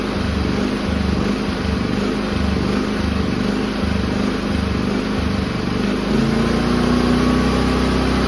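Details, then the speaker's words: Firman W3300i inverter generator in idle/eco mode before repair: engine hunts up and down about twice a second, then climbs; classic surging, often from dirty carburetor idle (pilot) jet. "You might notice your generator revving high and then dropping repeatedly. That's classic surging. And in portable generators, that's cause is often dirty carburetor jets, particularly the idle jet, also known as the pilot jet."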